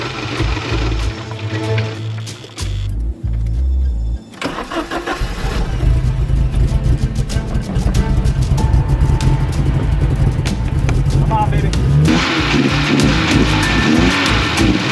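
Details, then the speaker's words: 1982 Porsche 924 Turbo after years of storage, refueled with a couple gallons (old fuel had evaporated), jump box and charger connected: starter cranks, engine catches and settles into a running idle with a blip of revs; fuel starvation cured, normal running. "Oh, I can hear Oh, it was out of gas. I could hear the difference already in the fuel pump. Here we go. Yep. It's going to run, guys."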